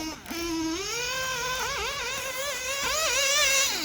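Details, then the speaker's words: OPS Speedster Power .21 nitro engine in an RC buggy, head clearance recently adjusted, being leaned for top end. A high screaming note climbs and holds steady with small dips between throttle blips, crisp and clean: the top end is well tuned on the lean setting. "sounds really good right there now I I would I would not normally if I'm normally running this I'm going to run this buggy race it I would not lean it anymore"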